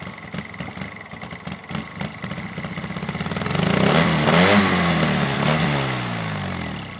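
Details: Polaris RZR, hot engine: starter churns in quick steady rhythm for several seconds before engine finally catches and revs up; hard starting when hot.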